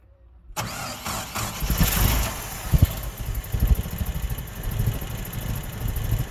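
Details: 1987 Mazda B2000 cranking: the starter spins the engine with even compression pulses for several seconds, but it never catches or fires. Crank, no start.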